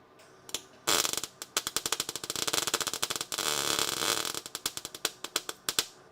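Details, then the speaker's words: Erratic sputtering MIG arc with sharp crackles and pops instead of a steady sizzling-bacon sound while welding a car's rear frame rail; the wire is burning through the metal too much, and stitch welding restored the sizzle. "I know it's getting through. I can see the wire going through. Uh it The problem is it's going It's going through too much."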